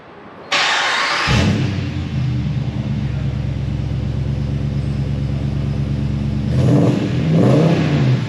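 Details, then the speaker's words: 2022 Ram Power Wagon after its engine was replaced by the dealer for engine issues: quick crank, clean catch, even idle, then two sharp blips rising and falling smoothly with no knock or rattle. "she sounds good bro sounds good she sounds pretty [Music] good that's good"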